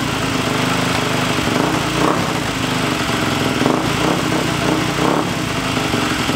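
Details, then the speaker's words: Husqvarna FE350 built into an FE 366 single-cylinder four-stroke, first start after a full rebuild. It would not start until the spark plug wire was seated fully, then the idle was raised slightly. A fast, crisp, steady idle with no misses. A normal idle. "And then after that you just raised the idle a little bit, right? Just a little bit, cranked right over."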